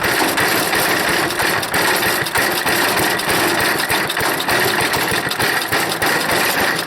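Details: Small engine on a wood chipper, choked fully and at full throttle, chugs unevenly at about three beats a second with stumbling, sputtering firing; owner suspects a bad carburetor float and dirty carburetor, fuel dripping.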